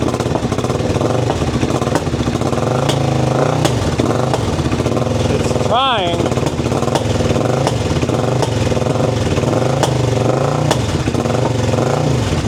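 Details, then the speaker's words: Sketchy Suzuki motorcycle with new fuel inlet line fed from a bottle, fuel pump not heard running: thin, lumpy idle with a lopsided beat instead of the twin rhythm, apparently running on one cylinder; choked; fuel delivery suspected. "And that's going, but that's one cylinder. We'll choke it."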